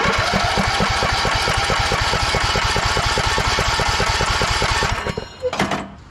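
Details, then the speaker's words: 2014 Craftsman T1600 lawn tractor, during compression test after fixing the broken blade safety switch: even cranking with regular compression beats about 3.5 per second for five seconds; compression reads about 80, turns over normally. "So something like 80. I don't know. To look up what this is supposed to do, but that's what we have for compression."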